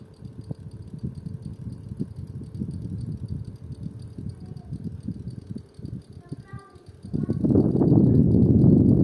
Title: Toshiba Shorai Edge (10000 BTU) indoor unit "clicking" noise